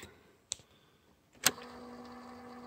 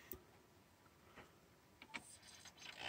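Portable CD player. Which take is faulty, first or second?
second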